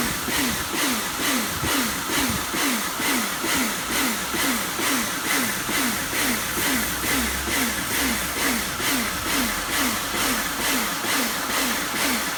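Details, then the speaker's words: Kärcher pressure washer rebuilt from a B202 and a K2 14, retested after swapping the switch: motor hiss surges and dips about twice a second while spraying, cycling on and off; owner suspects a valve, unconfirmed. "if you know why it's making that pulsing noise let me know not that one the one when it's moving it seems to be going on and off and on and off could be something to do with that valve"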